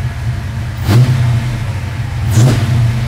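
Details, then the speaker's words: Engine running FiTech EFI with the distributor locked out and the FiTech computer controlling ignition timing; two quick blips off idle rise sharply and drop straight back to a steady idle; crisp, responsive throttle. "man that's responsive"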